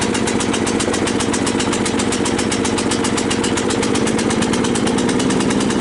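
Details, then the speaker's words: Cub Cadet LT 1018 tractor after repairs, blades engaged for the first time with a makeshift deck idler spring: steady even engine beat about four pulses a second while cutting grass; normal running with blades engaged. "all right is the power take off for the first time well you seem to be cutting grass"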